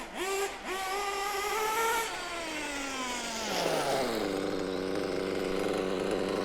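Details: Mugen MBX6T nitro truggy. Clean, crisp revs climb and fall smoothly, then settle to an even buzzing idle with no sputter. Normal running.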